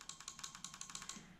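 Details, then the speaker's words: Crisp, rapid relay clicks, about five or six a second, as the start relay in a fuse box is energized; it works intermittently, suspected dirty contact, so it is being discarded. "the first little fire up that would not work the way now I would say that one had a bit of dude on a contact I'm not taking the risk it's going in the rubbish"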